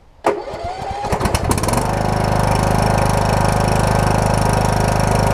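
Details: Husqvarna YTH21K46 rider with Kohler Courage engine, after a new muffler pipe and tightened mounting bolts (the engine had nearly vibrated loose): pulls over with a few rough chugs, catches quickly, then a steady, even beat with no misses; normal running.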